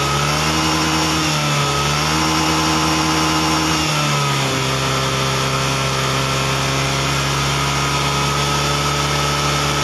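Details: Honda Beat ESP fuel-injected scooter, revs rise unevenly and dip twice early, then steady but still stumbles slightly under throttle. Hesitation ("brebet"); coil resistance read normal, slight corrosion on its wiring; data judged only about 75% normal, O2 sensor readings questioned.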